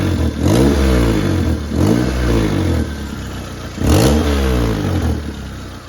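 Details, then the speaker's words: 1997 Toyota Corolla engine blipped three times: raspy, puffing edge on each rev from exhaust leak at bad donut flange gasket; pipe also hitting cross member. "okay so we got two problems with this the first one is this donut gasket in here is bad that needs to be fixed"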